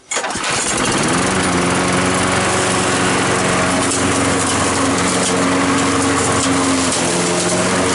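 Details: Trash-picked Craftsman lawn mower, after replacing a broken flywheel key on a no-start: catches after a brief crank and settles to an even, steady drone with no misses or knocks; running properly.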